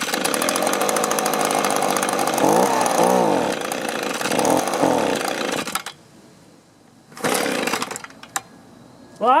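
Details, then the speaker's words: Echo leaf blower that sat a long time, old fuel swapped for fresh: it fires and runs unevenly with wavering revs, no throttle response and fuel dumping out, then dies; faulty carburetor. "we got fire otherwise it wouldn't run like that but i can get nothing out of the throttle and we're dumping gas out"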